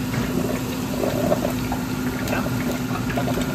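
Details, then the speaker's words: Frymaster fryer, newly replaced filter motor, rotation confirmed correct, valve open, fryer off: steady even hum, low drone, gurgling oil and air as oil fills the belly; filter pump running normally. "Watch it bring the oil up. There you go. And it's bringing the oil up into the belly. She's working."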